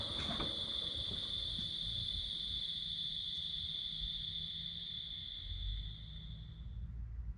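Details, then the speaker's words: Built turbocharged engine on 20W-50 oil before switching to 5W-20, microphone next to the intake pipe after shutoff. A thin, steady high whine fades over roughly 8–10 seconds as the ball-bearing turbo coasts down; normal turbo spool-down. "when i stop the engine the turbo keeps spinning you can kind of hear the ball bearings in there they make like a distinct sound"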